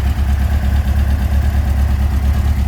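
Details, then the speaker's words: 1957 VW Oval ragtop flat-four on Weber carbs, after fixing a leak and the idle issue: a low, even idle burble with a steady beat and no misses or hunting. Idling cleanly and smoothly. "So we corrected the leak, we corrected the issue, the idle issue, and it's working really, really well."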